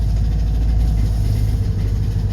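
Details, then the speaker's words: Two-stroke Subaru 360 van, cold start after sitting six to eight months, battery charged overnight: a lumpy, uneven low putter. It runs on only one cylinder. "there she goes running on one cylinder"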